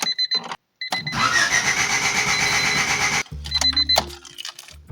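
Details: 1988 Honda CRX Si, just fitted with a new fuel pump after low fuel pressure was suspected: starter churns steadily a couple of seconds with no catch; cranks but won't fire, cause not found.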